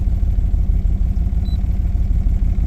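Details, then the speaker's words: 2007 Dodge Ram 1500 with the 5.7 L HEMI, codes P0118, P0300 and P0032, idling rough: lumpy, uneven pulses with a stumble every few beats, clatter and a backfire. A misfire, and the owner suspects an ignition coil. "p0118 P0300 p0032 okay okay yeah definitely running rough whoa did you hear that"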